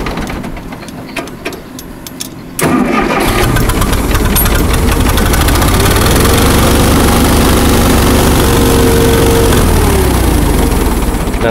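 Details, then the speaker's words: Allis-Chalmers 170 tractor, sat two years, carburetor rebuilt, new plugs and coil. Cranks a couple of seconds, catches, runs at low lumpy idle, then cuts out; owner suspects wiring or fuel, leaking carburetor, likely out of gas. "cut out immediately either wiring or it's gas so it might be gas"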